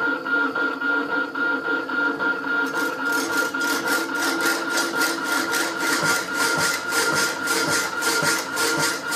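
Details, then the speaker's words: Rapidor power hacksaw, damper now working to lift the saw on the backstroke, on an old blade: steady cutting strokes about every half second, light even rhythm, no banging on the return; working properly. "working perfectly you can tell the noise it makes it's lifted on the back strp there you go"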